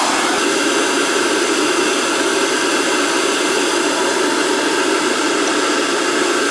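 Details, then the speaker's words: Riello oil burner on a direct-fired oil boiler that will not fire, with terminals 5–6 jumped for a call for heat. Only the motor and pump run, a steady whirring hiss with no flame, to check oil flow. A nozzle or carbon on the head is suspected. "I'm gonna turn the power on the calls for heat he'll run just the motors like a check the oil flow"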